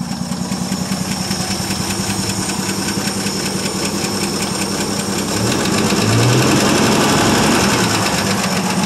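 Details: 1959 Ford F250 stepside, 223 (possibly 262) inline-six, first run after 3–4 years stored, carburetor fed with poured fuel: steady even idle with regular pulse rising slightly with revs; runs normally.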